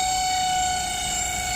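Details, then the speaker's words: Microwave oven cooling fan running: loud, steady high squeal with a ringing edge from the fan motor's dry, rusted bushing, which needs oiling. "फिलहाल जो आवाज आ रही है वो fan की वो आपको नजर आ रहा है कि फैन में जो है इसमें ये बहुत ज्यादा साउंड कर रहा है चें च की आवाज आ रही है"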